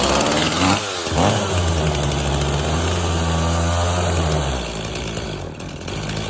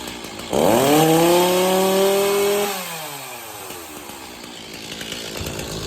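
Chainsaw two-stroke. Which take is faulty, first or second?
first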